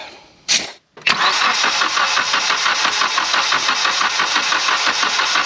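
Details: Mitsubishi Evo X cranking during a compression test after turbo failure: starter turns the engine at an even, steady rhythm, reading about 115 psi; engine likely healthy, turbo blamed.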